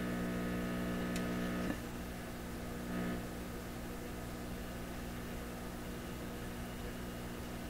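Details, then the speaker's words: PYE 39HC shortwave broadcast receiver, tested on the AM band with a loop antenna before tube replacement: steady low hum with buzzy overtones that never changes, reception very weak; mains hum, source unknown. "Where's this hum coming from?"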